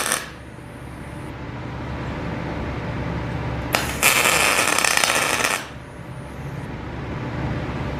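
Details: PrimeWeld MIG160Ts MIG with solid wire, C25 gas at about 15, electrode positive, tacking: short harsh bursts of uneven crackle and sputter; voltage and wire speed too low, raised toward about 20 volts and 350 inches per minute.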